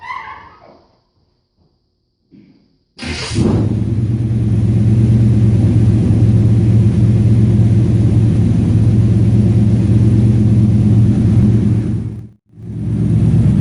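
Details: 1954 Chevy 150, warm engine, running after revival (original ignition switch needing a jumper wire): fires after a short crank and settles into a steady, even low rumble with no knocks or misses; normal idle.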